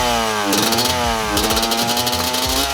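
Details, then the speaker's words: Two-stroke bike deliberately run slightly lean with a smaller main jet: sharp, crisp revving that picks up fast and hangs too high before dropping, a thin screaming note; lean jetting risks detonation. "I'll show you what it's like when it's to leave so I've just put a smaller jet in I haven't gone too far because they don't want to break my bike but this is just to show you what it shouldn't sound like or if it's a bit too skinny"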